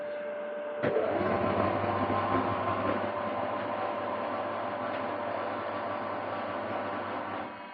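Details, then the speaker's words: Thickness planer set to zero depth: a steady, even drone from the cutter head with only a faint hiss of shaving; it is barely cutting, with no breakout, correctly set. "Right, so that is at zero. It's cutting nothing. Very fine amounts you can hear."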